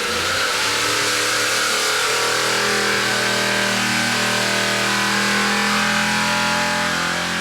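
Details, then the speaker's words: V8 Supercar race engine on an engine dyno, control camshaft, about 612 hp: hard, clean pull with pitch climbing smoothly through 4,500, 5,500 and 6,000 rpm, no misses or knocks; healthy full-power run. "listen to that thing seeing there we go four and a half five and a half six thousand i tell you that thing sounds like it's going to explode"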